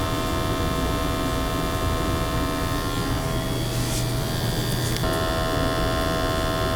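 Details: Natural gas boiler with high CO levels flagged in an energy audit, after burner cleaning: steady low hum with a constant tone, no roaring, popping or flutter; burner firing evenly, CO PPM coming down.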